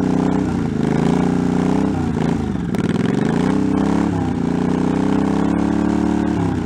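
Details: 1984 Honda Shadow VT700c V-twin, first startup after sitting over 7 years, carbs and fuel lines rebuilt, main tank off, started with starting fluid; uneven throttle blips rising and falling, catches and keeps running, freshly revived engine settling in.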